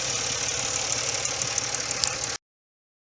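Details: Stock 1997 Nissan Maxima automatic idling steady at factory spec of about 650-700 rpm, idle air control valve screw set to spec: an even idle with a soft regular pulse and no misses or knocks.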